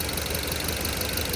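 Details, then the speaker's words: 2010 Ford Focus 2.0, warm after half hour running and 10 miles driven: lumpy, uneven idle with whole-engine vibration, no engine codes, plugs and coils fine; exhaust noise points to clogged catalytic converter. "the whole engine is vibrating there's no there's no check engine codes for engine I've already pulled the plugs out they're fine"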